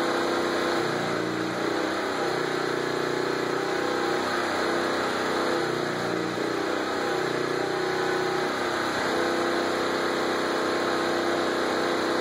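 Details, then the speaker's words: Portable generator, about 90 dB outside, running a transformer-type arc welder set at 35 amps, tacking a headboard: steady small-engine drone sagging and labouring every few seconds as the welder draws current; generator bogging, arc sticky. "I'll film the uh welder and I guess the generator so you can hear it struggling uh I I suspect it's going to be kind of sticky"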